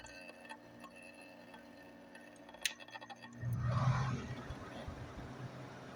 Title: 98 Fedders 5100 BTU Air Conditioner weird noise on startup